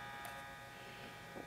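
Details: Sony WM-701C Walkman (auto reverse, Dolby B/C), powered by a gum-stick battery and playing: thin steady electric whir with occasional small clicks as the motor spins without driving the tape; the belt needs replacing.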